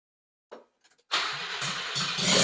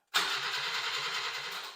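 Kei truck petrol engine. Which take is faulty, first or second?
first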